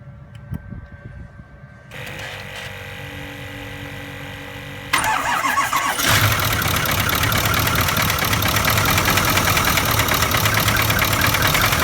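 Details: 2008 Ford Powerstroke 6.4L diesel started with valve cover off, fuel cooler connected, glow plugs not: loud idle with steady busy tapping about three knocks a second; diagnosing valve train knock, little oil initially reaching rockers.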